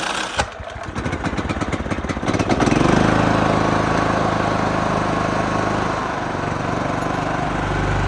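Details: John Deere LT155 mower with a no-crank, no-start problem that previously ran only about 5 seconds, now started with choke: clattery start-up settling into a steady, even run with no misses or knocks.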